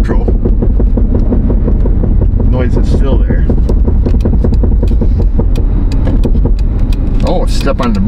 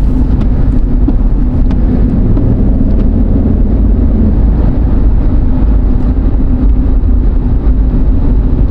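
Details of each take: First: Jeep Liberty 3.7 on the road, on and off throttle: a steady rapid knock of about five beats a second under heavy road rumble, also while coasting. It goes away with light braking. The owner suspected the front driveshaft, but it was a loose rear wheel. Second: Jeep Liberty 3.7, final test drive after securing a loose rear wheel that caused loud knocking when coasting: steady road and tyre rumble at speed with no knocking, clunking or wobble; it drives normally.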